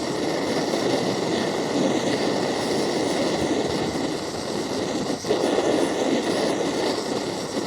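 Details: MSR Dragonfly liquid-fuel stove, owned a few years, flaring up during priming after the fuel was turned on: loud continuous rushing roar that barely wavers. A first-time flare-up; owner unsure, maybe too much fuel, thinks it needs a service.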